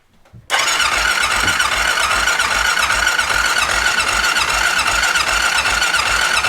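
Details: 2001 Honda Rincon ATV after sitting 2.5 years, battery reading 12.82 V, choke pulled: steady starter churn with even compression pulses for six seconds, cranks but won't fire; fuel supply unchecked, carb suspected, not confirmed.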